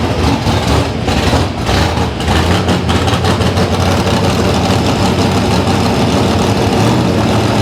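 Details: Loud, deep carbureted V8 idle with an uneven, lumpy beat during carburetor testing; it is losing ignition timing at the bottom end and the carburetion isn't right.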